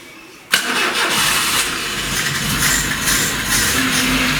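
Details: VAZ 21099, 185,000 km, previously rough-running, knocking and burning oil, first start after head rebuild with new plugs and timing set: catches at once and settles into steady, even run with no misfire or knock.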